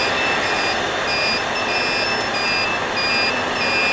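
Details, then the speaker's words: HP EVA6000 disk storage rack: two shrill beep tones alternate over constant fan roar as shelves 1 and 2 sound fault alarms. Beep pitch corresponds to unit number, lowest unit lowest pitch. "they beep and the beeping sound the pitch of the beep is corresponds to the unit number so the lowest unit number here has the lowest sound of alone"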